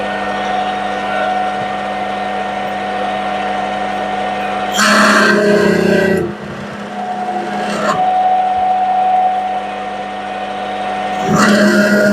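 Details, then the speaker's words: Lathe slowed from 1200 to 900 rpm with cutting fluid added, cutting a rivet dimple: steady buzzing squeal rising in bursts as the tool bites; chatter and noise level barely changed. "go well didn't make a lot of difference on the noise level or chatter"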